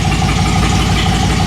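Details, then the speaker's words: Dodge Magnum SXT 3.5L V6 stroker with Inertia cams, hand-ported heads and intake on stock tune, first start: lumpy, loping rich idle; smells rich, header temps left bank ~150 vs right ~200; owner suspects cams needing a tune, not misfire. "smells rich uh i'm gonna guess it's just the cams it needs a tune probably really bad"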